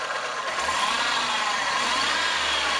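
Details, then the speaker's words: VW Polo after replacing the V and Poly V (6PK1153) alternator belts, revved in the engine bay: smooth even whir with no squeal, chirp, vibration or slipping from the belts; normal. "Vemos que lo aceleramos y no escuchamos una vibración de las correas, ni un patinamiento, ni nada por el estilo. Entonces con eso podemos darnos la idea de que está bien."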